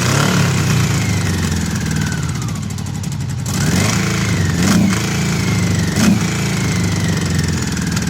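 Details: Honda CB750 with 65,000 miles that sat outside for about a decade. Its low, even four-cylinder idle is smooth and sewing-machine-like, with quick blips that settle straight back.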